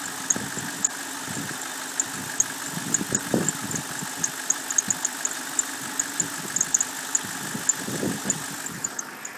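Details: BMW 545i idling rough: uneven loping pulses and irregular sharp ticks roughly every two seconds over a steady hiss.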